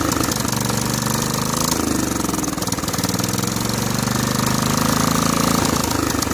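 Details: Snapper SR1433 rear-engine rider mower, sat 8 years, on choke: catches and runs unevenly, speed sagging and recovering, no clean idle; rough running, carburetor fuel bowl leaking with dirt, may need soaking.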